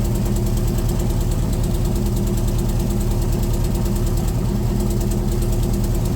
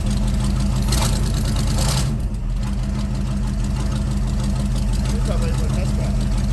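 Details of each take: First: C3 Corvette V8 with Holley four-barrel carburetor idling, running rich and smelling of gas before the tune; mechanic says float level set too high is part of it, adjusting all four barrels: lumpy, uneven idle beat; rich running from high float level. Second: C3 Corvette carbureted V8 idling after float levels were adjusted during the carb tune: deep, steady burble, even lope, no misses or knocks; owner says it's running pretty good; normal idle.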